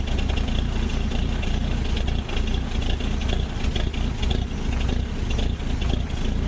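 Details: Old Ford Courier WL-T diesel cold start in summer: deep uneven idle with lumpy stumbles and dips, very rough and getting hard to start; glow plugs removed to diagnose, suspected failed.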